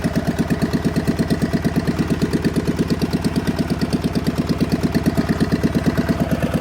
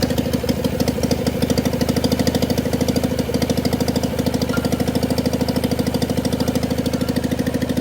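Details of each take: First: John Deere 400 with Kohler K532 twin, unrun for about a decade, on a makeshift hood-mounted fuel tank after a bad governor; electric fuel pump not working, choke cable freed. A slow, lumpy, even thump of about three pulses a second; the carburetor needs adjustment. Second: John Deere 400 tractor, Kohler K532 twin, parts tractor not run in about a decade, bad governor (points plunger didn't move), makeshift fuel supply, full choke: steady even twin-cylinder beat settling smooth, no misses or knocks, no smoke; healthy running.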